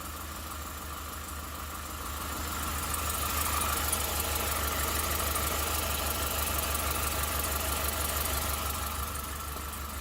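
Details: 2008 Suburban, first start of a newly installed engine, caught after 5 or 6 more tries: steady idle with an even low rumble and a constant mid-pitch tone on top, no misses or knocks; runs fine.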